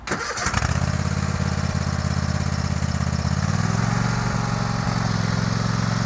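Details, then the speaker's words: Warm Sears Craftsman DGS 6000 garden tractor rider mower (54-inch deck, snow plow blade), started without choke: cranks briefly, catches at once and settles into a steady, even low idle with no stumbling. "So I'm just going to fire it up and drive around in a couple circles, start and stop the blades, and post this video."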